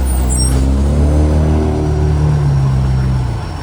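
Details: Euro 3-style Euro 5 facelift garbage truck, diesel, revving: loud rough deep note rising and easing, much louder than normal; exhaust pipe leak, later fixed.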